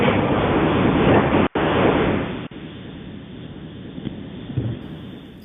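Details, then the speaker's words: Garage door before a tune-up and roller replacement: loud rough rumbling and rattling as the door travels, suspected worn, dry rollers, not confirmed. "this is what a garage door sounds like before A+ garage doors does a tuneup and replaces the rollers on a garage door"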